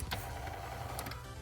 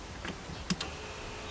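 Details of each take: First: Mercedes G500 W463 steering column tilt motor running during steering wheel up/down adjustment repair: brief even electric whir with low hum and light clicks; motor working normally, coupling spinning. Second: Mercedes G500 (W463) power tilt steering column: faint thin whir of the tilt motor spinning freely between button clicks, but the broken plastic coupling (dogbone) moves nothing, so the wheel does not tilt.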